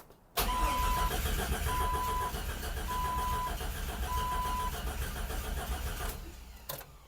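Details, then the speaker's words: Custom build, 1965 AMC Rambler body on a 2000-ish Jeep Cherokee chassis, cranking: starter turns steadily about four times a second for several seconds but the engine never catches; fuel pump suspected unable to hold pressure, possibly cavitating. "it wants to does not it wants to no it wants to start oh it's not trying to though it's not catching"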